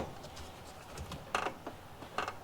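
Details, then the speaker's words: Rear suspension of a hot rod being rocked on a jack after brake failure on a road tour: two short, dry creaks as the rusted, unsupported front mount of the rear leaf spring shifts and drops; creaking leaf spring mount. "I move it around, I mean, I can hear it creaking every time I move this from side to side. There's really not much holding this in."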